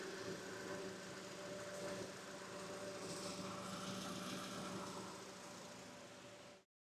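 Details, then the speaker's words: 2.4L Honda engine during an oil change and O2 sensor job: steady even idle with a soft low hum, no misses or knocks, sitting at about 700 rpm; normal idle. "What I've got right now is my RPMs are sitting right at 700. That means that's pretty good."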